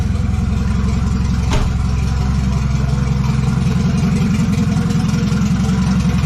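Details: $200 wagon, first start after fitting a new GMC Typhoon/Syclone turbo and priming the oil: catches easily, steady, even idle with clean throttle blips. Healthy, though the factory hard oil feed line plug leaks.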